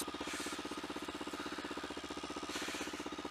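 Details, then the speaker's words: Motorcycle warming up on cold winter start: even idle thump about four per second with a buzzy rattle on top, vibration only on startup; cause unknown. "I'd love to know what that vibration is. Don't know if you can hear it. It's only on startup, it's a bit odd."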